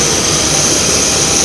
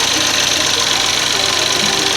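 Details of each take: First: A 1993 Mercury Cougar with a no-heat complaint, running at the engine bay: a loud, steady, high airy hiss over the running engine from a massive vacuum leak; a water pump replacement is also planned. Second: 2013 Chevy Equinox after replacing the high-pressure fuel pump, line and roller lifter per a TSB, plus a motor mount. Steady idle with a light, quick direct-injection fuel-pump tick; sounds healthy and runs fine.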